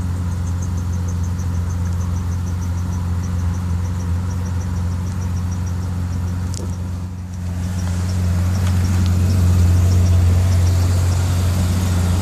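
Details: BMW E38 750i with M73TU V12, cold start at +8 °C outside: deep idle hum with faint uneven pulse about four a second, body shaking at idle; diagnostics show random misfire in all cylinders, fine when driving, no power loss.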